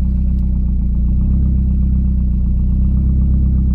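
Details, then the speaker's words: Car with almost 300,000 km, running without exhaust: deep, loud open-pipe burble at idle, firing even and steady with no misses or knocks; engine runs cleanly in rhythm. "aber ohne auspuff hört man auch sehr gut dass der wagen sauber im takt läuft"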